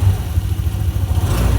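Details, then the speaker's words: TIGRA 150 scooter after replacing camshaft, rocker arms, cam chain, chain guide and tensioner: steady smooth low rumble with no metallic tapping; earlier ticking fixed, normal engine rev. "之前那个异音嗲的声音，现在应该都没听见了。现在声音都正常了，那个金属的敲击声，那个声音现在都没听到。"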